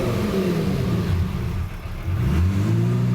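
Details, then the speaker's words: Self-tuned Lamborghini, cold and in limp mode: the idle sags to about 500 rpm, then climbs back smoothly with no misses; normal for a cold engine just started. "so goes down to around 500 rpm and then then just kind of creeps back up and that's sort of normal especially for for just starting"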